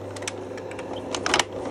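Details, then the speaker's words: Kindermann AV100 Automat slide projector: irregular sharp clicks and whirs, magazine advancing continuously without any button pressed; buttons checked fine, cause is a relay-like click switch stuck on. Before repair. "it's a little click switch there like a old style relay and it's just locked on that's why it won't stop um [Music] rotating"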